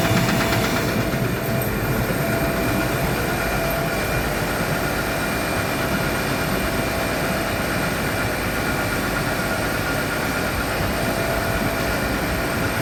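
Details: Gardner Denver screw air compressor: steady dense mechanical roar with a fast uneven knock due to a defective pressure valve; fixed by replacing the valve.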